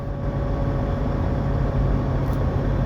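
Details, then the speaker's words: 2007 Ford Mustang GT with 8.8 rear end, driving: steady whine over low road rumble from the rear; worn differential bearings, with play found at the pinion flange. "for a while now there's been a consistent whne coming from the rear end of the Mustang here's what it sounds"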